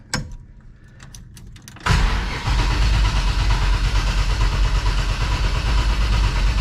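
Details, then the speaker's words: 1955 Chevy Bel Air Hardtop with ZZ4 V8, cold start after battery charging and several throttle pumps: catches into a heavy, lumpy rumble; choke seemed to slam shut, strong fuel smell, squirters dropping fuel; rough over-rich cold running. "Ooh, that doesn't sound good. Let's check this real quick. Almost sounded like the choke slammed shut."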